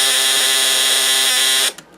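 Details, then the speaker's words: Snap Circuits project 589 AC voltage, relay driving transformer, speaker and LEDs: loud steady high-pitched raspy buzz stopping dead when switched off; relay contacts chattering very fast, as designed. "it's a little hard to talk over how loud the relay is here, but as you see when the circuit's on, our LEDs light up and we can hear the relay quite clearly through there."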